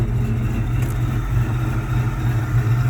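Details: Petrol engine idling with a low, uneven, stumbling chuff while burning off residual oil after a catastrophic failure; still misfiring as before. A bad coil was already found, and cylinder three is suspected.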